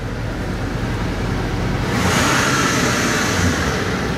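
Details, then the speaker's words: Normal idle of an LBZ Duramax diesel with about 300,000 miles on the stock exhaust. Even, steady, somewhat quiet diesel rumble with no knocks or misses; sounds like a healthy Duramax. "but yep sounds like a Duramax 300,000 miles hopefully it'll go another 300,000 or for another 10 or 15 years whichever comes first I guess"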